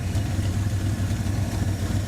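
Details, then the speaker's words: 1984 Ford Mustang GT350 20th Anniversary V8 idling with a faint quick tick on each firing pulse on one bank; at first it was suspected to be a lifter again after one set was already replaced, but it is an exhaust leak. "and now there's one that's acting up again. Where's it at? I don't know, it's on this bank somewhere. Oh, never mind, it's exhaust."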